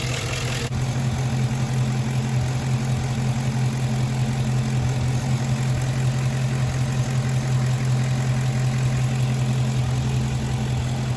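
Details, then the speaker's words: Gen 3 5.3 LS V8 without DOD/AFM, just after a head-off lifter replacement with customer-supplied Elgin lifters dated 2019, warming up with the hood up: steady idle with a light, fast ticking. The new lifters are still noisy, not fully pumped up. "these lifters aren't the quietest thing but whenever you put the hood down you really can't hear them but with the hood up you can definitely hear making a little noise"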